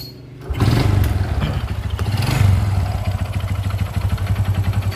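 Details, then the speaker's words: Honda Supra X 125 motorcycle engine starts and settles into a rough idle with a rapid, even knocking pulse from the middle of the engine beneath the exhaust; worn connecting rod. "ya suaranya ada di sebelah sini nih ada di sebelah tengah [Musik] mesin dan ini salah satu ciri-ciri stang piston yang sudah kena"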